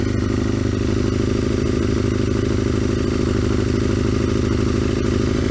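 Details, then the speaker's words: Aprilia RSV Mille 1000 started cold on full choke after long storage: loud, hard-edged idle with a fast, even throb; exhaust far too loud. "[ __ ] hell but you can obviously hear how loud that"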